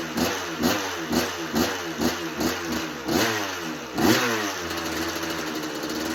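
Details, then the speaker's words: 1986 Kawasaki KX125 two-stroke with a clean carb, run without choke with the idle turned up further. Revs come in uneven blips about once a second and sag off throttle, so it won't idle. "Okay. Doesn't want to idle. Turn the idle up a bit more."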